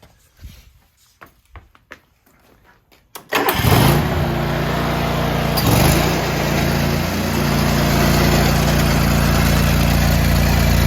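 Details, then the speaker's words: John Deere tractor with snowblower attachment, after fixing a worn, bent metal piece that made the belt pop off every few seconds: a few quiet clicks, then the engine catches and runs steady and even with no belt slap or chirp. "now that we have that solved and the belt's staying on, I can finally get my shower and go to bed."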